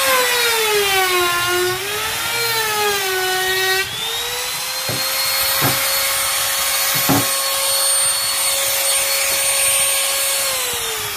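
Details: Grizzly T27139 quarter-inch trim router, about 4 months old and previously cutting out, with a brand new bit at full speed in scrap hardwood: whine wavers on spin-up, then holds flat with a few cutting thumps; normal cutting.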